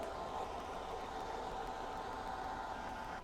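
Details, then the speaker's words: Ryobi RY20UP02 18V telescoping pole pump running dry with hose out of liquid: steady mid-pitched electric hum for about 30 seconds, then drops away as the pump shuts itself off automatically; normal. "So it sounds like it probably ran for 30 seconds or so, and then it just shuts the pump off automatically."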